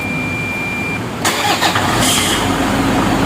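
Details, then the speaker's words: 2012 Toyota Fortuner 2KD diesel: a thin steady squeal heard only once, at the initial start, before the engine cranks and catches, traced to the alternator pulley one-way clutch. "Lah bunyi ini tadi sudah saya periksa, ternyata bunyi itu ada di area yang namanya pully alternator atau oneway clutch."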